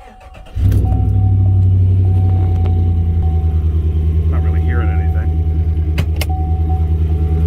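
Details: Chevrolet Silverado 5.3 V8 with check engine light, started and idling: steady light tapping in time with the engine and a slight misfire. A spark plug wire had fallen off its coil and was arcing; not lifters or exhaust.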